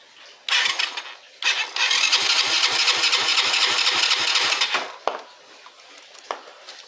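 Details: 50cc motorcycle that starts on kick but not electric start: slow, labouring starter whir with about four soft pulses a second for three seconds, never firing; weak cranking from low battery, ignition coil also suspected.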